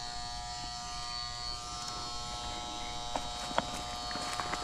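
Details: Residential AC condenser on a no-cooling call: new 40 amp Titan Max contactor with lugs, its coil energized by low-voltage wires while the high-voltage side is disconnected, gives a quiet steady one-pitch buzz with light clicks; normal contactor coil hum.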